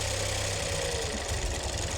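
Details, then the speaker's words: BMW 218 convertible bought from a salvage auction, off the road a long time, run briefly with an oil leak still to find: lumpy idle with uneven low thumps and a wavering beat as it clears. Rough, misfire-type running. "Rough again. Is that you revving or not? It's clearing."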